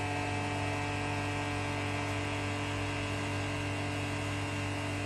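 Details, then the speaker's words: Vacuum pump started for vacuum test with top plate fastened and release valve closed: steady, even hum with no knocks or surging while vacuum degree rises quickly; running normally. "We start the vacuum pump here. You can hear the voice."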